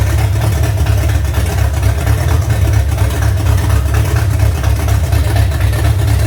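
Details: V8 truck after cam break-in, idle brought down lower, valve adjustment seems good: deep, loping low rumble at a steady idle, even and continuous with no ticks or knocks; a healthy aggressive-cam V8 that sounds like a pulling truck.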